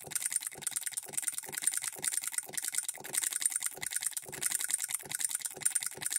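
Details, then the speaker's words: Hand-built Coilmotorworks solenoid hit-and-miss model engine, supply voltage dropped toward half its rated voltage: sharp light clicks about two a second with uneven gaps, some in pairs; solenoid double-fires to throw the governor balls out. "how it's double stroking sometimes has to fire twice to throw those balls out now it's hitting three or four times"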